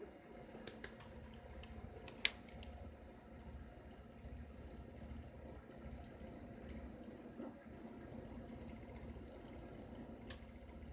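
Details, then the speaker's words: Rebalanced rotor drum cylinders freewheeling in a vibration and balance test: steady, low, even whir with no knocking or wobble, so balance is acceptable. Faint clicks in the background come from a printer. "that was a test that was all it was just stability vibration"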